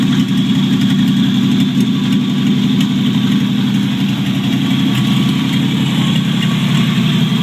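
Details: 1949 Chevrolet Deluxe 4-door, first start of a used replacement engine swapped in for a locked-up one: steady, even idle with loud open rumble since no exhaust fitted; no knocks or misses, healthy running.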